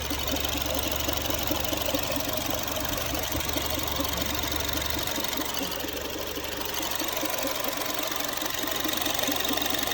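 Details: Honda Freed petrol engine idling, A/C off, during inspection: faint, uneven ticking about twice per second over the hum; abnormal engine noise, source not identified.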